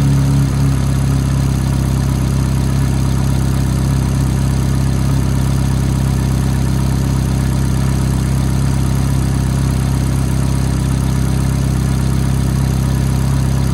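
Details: F430 V8 at cold-start idle: a fast, fairly even, light tick rides over the deep, steady rumble; cause unclear from the sound alone.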